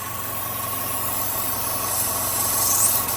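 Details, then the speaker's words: 2012–2018 Chevy Sonic 1.8L non-turbo Ecotec engine idling, smoke tester hooked up to check for suction; steady hiss of air sucked in over an even idle. Excessive crankcase vacuum. "I'm going to hook it up I'm going to start the vehicle and see if there's suction in there I bet there is"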